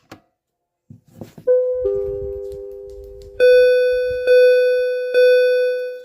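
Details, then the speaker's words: Fire alarm system test with Simplex devices after the BG12 pull station is pulled. A loud, steady electronic tone pulsing about once a second; the alarms are working properly. "And here we're going to flip that switch and hear the alarms go off to see if it's good."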